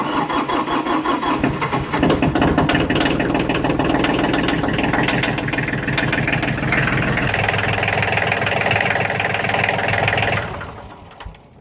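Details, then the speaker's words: Kioti DK35/45 (DX series) diesel tractor after replacing the timer relay that failed to shut the engine off; cranks, catches, idles evenly about eight seconds, then shutoff solenoid stops it cleanly; normal start and shutdown. "You can see the solenoid working properly. Times it for a couple seconds. And there you go. That is a properly functioning solenoid."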